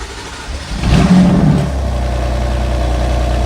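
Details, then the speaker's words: Abandoned, crashed 2018 BMW F80 M3 with 22,520 miles, first start attempt after failed tries, no coolant in it: brief crank, loud flare, then steady smooth idle; it starts, all dash lights on. "Yes. Yes. Oh my gosh. It starts. We got every single light on the dash."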